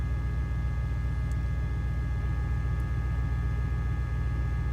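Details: 2004 Dodge Ram 5.7 L Hemi after replacing faulty bank 1 O2 sensors that caused a misfire and fuel trim faults: deep, steady V8 burble with an even beat and no stumble or miss, idling cleanly.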